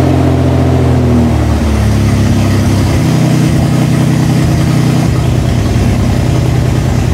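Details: Toyota 3.4L engine swap, first start after reassembly with oil, coolant, bled clutch and evap work done; fires right up and settles to a steady, smooth idle with no misses or knocks, no leaks; normal start and idle.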